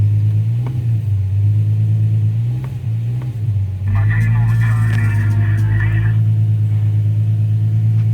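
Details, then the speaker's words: Infiniti G35 after O2 sensor replacement with thread-chased threads and battery disconnected overnight; deep steady exhaust idle with even pulse, quick clean blip, settles back; nice exhaust note. Normal idle and revving. "I'm gonna go ahead and start it up for you guys so you can see everything's back to normal. Gotta love that exhaust note."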